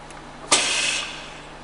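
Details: Scott Pack SCBA regulator maintenance check: breaths drawn through the mask give a sharp rush of air, then quieter hissing. The regulator delivers air normally.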